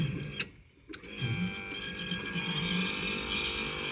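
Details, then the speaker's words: 1995 Kawasaki Mule KAF620A hydraulic bed pump cycling while fluid is flushed: steady strained whirring with thin high whine and rough edge, as leftover water in the system is worked out; fluid came out pink-white. "some not nice noises all the little bits of water that are still in there are being found but it'll be fine"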